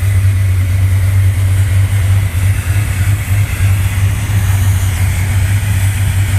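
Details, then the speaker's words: 1968 Corvette 383 with performance cam, fuel injection with crossover, default program tuned for sea level: deep, burbling idle with an uneven lope about three beats a second; normal big-cam idle, less lopey than with carburetor. "It's not lopey like it was with the natural carburation, but you can still hear the cam. Still fairly lopey."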